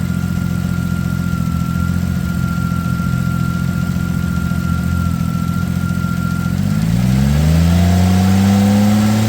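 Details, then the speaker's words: 2007 Ford Edge SEL AWD 3.5L after replacing the cylinder 6 fuel injector (open/short circuit code), which had caused a rough idle, misfire and flashing check engine light. Now an even idle, then a clean rev: a normal idle and rev. "I just put my hands on each one of the electrical connectors and I could feel the pulsing of the injector, so I know it's working. It definitely sounds like it's running smooth as well."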